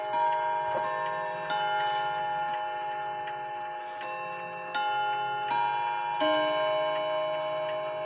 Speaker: and then that movement as you can see it's ticking away it keeps really good time